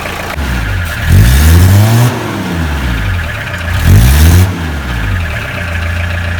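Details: Tata Sumo direct-injection diesel after long standing, injectors bled of air: low steady clatter between two short throttle blips that rise and settle cleanly; idling evenly, running healthy.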